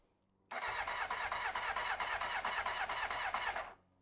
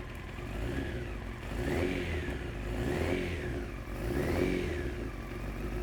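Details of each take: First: 1993 Honda CBR900RR at first start attempt, spark now confirmed: steady starter cranking about three turns a second for three seconds with no firing. No fuel is reaching the carbs. Cranks, no start. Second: 1993 Honda CBR900RR first start after fuel-system troubleshooting, choke off: a four-cylinder that runs evenly, with light throttle blips rising and falling cleanly and no knocks. Smooth, normal idle.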